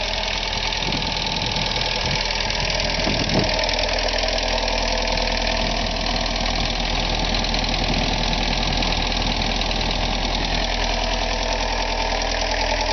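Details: 1985 VW Jetta diesel at idle: steady fast light ticking about three clicks a second over diesel clatter; source unclear.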